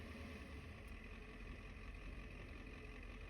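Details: Diesel truck with a newly installed ZF5 manual transmission, idling: a rough, continuous low clatter under the idle, gear rollover rattle from the gearbox.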